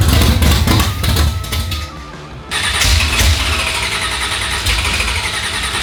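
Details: Chevrolet El Camino 355 small-block V8, first start: cranking, short pause, then catches and settles into a loud, slightly lumpy but steady idle.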